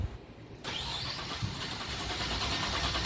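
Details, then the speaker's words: 2000 Nissan Maxima with intermittent crank/no start, oscilloscope on starter, AC coupled: starter spins the engine with a rough, uneven cranking rhythm and never catches; faulty starter motor suspected. "see all that hash in there there's a bunch of hash it's almost like a relative compression check"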